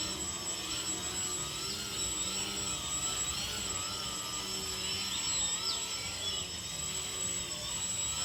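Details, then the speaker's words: RC 3D airplane brushless motor after the broken red motor wire was rejoined, under throttle test: steady smooth high-pitched whine with no stutter or dropouts. The motor now runs normally after repair. "เตอนนี้นะครับเราก็ทำการเชื่อมเสร็จเราเทสเนี่ยจะเห็นว่าใช้งานได้ตามปกติละ"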